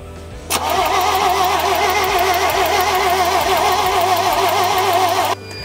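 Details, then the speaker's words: 1975 GMC Sierra Grande, 250 ci straight six, long abandoned: starter spins steadily about five seconds with a light regular tick around four per second; no start. Owner suspects stuck valve, tick seems from distributor cap or coil. "man I'm hearing that ticking sound I'm wondering if I don't have a stuck valve or something that would be causing that okay so the ticking sound sounds like it's coming from the distributor cap is that normal"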